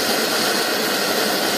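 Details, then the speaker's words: Circa-1925 Coleman No. 2 camp stove, hot air blast preheat heating the generator for about 30 seconds to turn liquid gas to vapor: a strong, constant hissing roar with no pops or flutter. Normal, even preheat flame. "Coleman calls that the hot air blast. What that's doing is heating up the generator. It's turning the liquid to a vapor."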